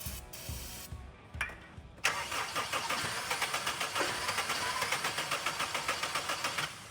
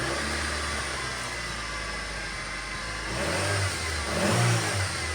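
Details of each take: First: Car recovered after being sunk in a lake, plugs checked dry, water blown from exhaust, starting fluid sprayed into intake: steady cranking about four turns a second with a few weak catches that never take; spark present, fuel supply suspected. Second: Flood-damaged car, previously sunk in a lake, started after the ECU was dried out for a day and cleaned of mud: steady even idle, clean smooth rev rise and fall without stumbling or misses; only minor damage, engine sounds healthy.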